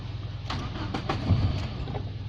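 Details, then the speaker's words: Nissan Bluebird, first start after a head gasket and water pump replacement, fuel in the carb: a steady low starter churn with a few sharp irregular pops, nearly firing but not running; ignition timing suspected off. "oh that was trying to fire the ignition timing might be way off so maybe that's the problem there"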